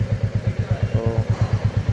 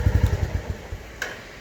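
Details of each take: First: 2024 Royal Enfield Classic 350 Reborn, taken to the showroom at first service for an engine noise: a heavy single thump about three times a second with a clattery edge. It sounds like a slack, noisy timing chain. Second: New 2024 Royal Enfield Classic 350 Reborn single-cylinder in neutral: clean, regular thumping idle at about ten beats a second, no abnormal noise, then fades as the engine is shut off.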